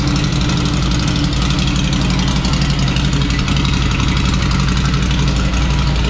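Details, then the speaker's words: Ducati Scrambler Desert Sled Fasthouse, first start after battery charge during rebuild: lumpy, uneven twin-cylinder idle with irregular rhythm, running rough and seemingly rich; owner suspects it was not tuned after an exhaust upgrade. "so we got our first engine start on the books batter's charged up it's running a little rough there's definitely going to need to be something done with the engine uh it sounds like it wasn't tuned when the exhaust was upgraded"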